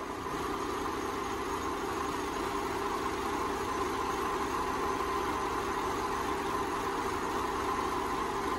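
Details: 2005 Subaru Impreza 2.5 L non-turbo engine fully warmed up: steady, even idle with no knocking; the piston slap heard on cold start after sitting has gone quiet.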